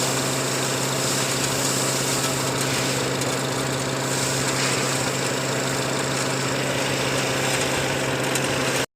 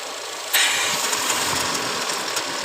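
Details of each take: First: Petrol engine idling steadily with even pulse, no stumbling or hunting, after diagnosing an air-suction leak (system voltage low code, new intake cam actuator). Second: Idling petrol engine, after replacing cam actuators, with a steady airy hiss that jumps louder as air is strongly sucked in; the PCV is being checked for the intake suction noise.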